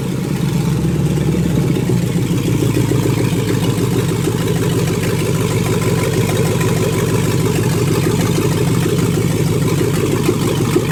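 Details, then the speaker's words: LS-swapped 1988 Monte Carlo after mount, cold air intake, throttle cable and transmission line work, refuelled after running out of gas: deep steady V8 catches and settles into firm lumpy idle with throttle blips, runs clean and even. "He drove 45 minutes away, and this thing does fire up every single time. Check it out."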